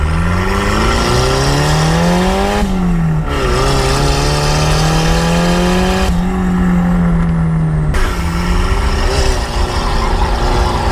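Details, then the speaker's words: 1.6 L Miata with budget K03 turbo kit: idle around 2500 rpm being wound down stepwise toward stalling, steady hum dropping in pitch; idle was set too high, lowering it makes the car quieter. "just trying to dial out the idle right now we actually got it it was that like 25 before but we're just gonna go lower and lower until the car starts to try and die right"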